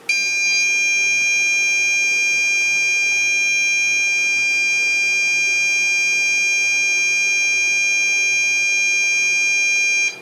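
A steady high-pitched electronic whine holds for about ten seconds and then cuts off: the igniter is heating the glow plug normally.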